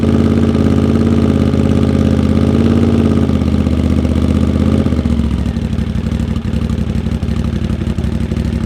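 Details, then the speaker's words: Honda GL650 at its first start after a full rewire: deep, steady V-twin burble holding an even beat and easing down slightly as it settles, with no knocks or misses. Crossover headers run into a merge and Cone Engineering muffler. Normal idle. "this thing sounds so good oh my god oh my god cone engineering mufflers on all the things"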